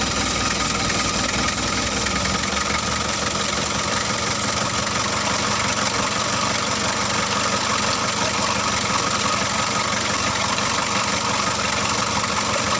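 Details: Freshly overhauled Mitsubishi L300 diesel, reassembled, oil seen rising evenly at the valves: steady, even diesel clatter at idle, no misses or knocks; normal, healthy idle.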